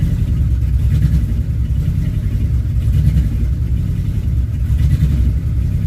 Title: 2005 Dodge Ram 1500 5.7 Hemi Rough idle